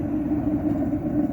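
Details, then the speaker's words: Atwood RV gas water heater burner, running after the blown fuse was bypassed and while heating toward a thermostat cutoff of about 60 °C. A steady low flame roar with no popping or sputter. Air-fuel ratio is set to show a small orange tip, and combustion is normal. "And I've been playing with this a little bit, trying to get the perfect sound, the perfect air-fuel ratio, where it just has just a little tip of orange without making too much air sounds."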